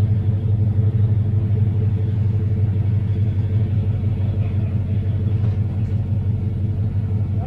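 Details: 1988 Fox-body Mustang revived with a new fuel system, running after first start: a deep, even rumble with a smooth steady beat and no misfire or knocking; normal running.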